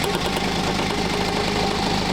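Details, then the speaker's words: BMW 320d 2.0 diesel (same engine as 520d) idling with a rough buzzing vibration over the clatter, from a worn engine mount whose rubber measured 8.6 mm versus 12.2 mm new. "떨면서 진동 진동과 소음을 발생하게 되는 거예요"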